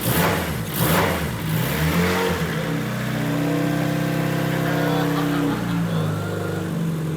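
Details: Turbo D16 EK Honda Civic enduro race car, first start of the fresh build during static testing after fuel pump and output checks: fires on the first try, revs up and holds a smooth, steady note before easing down; healthy first start.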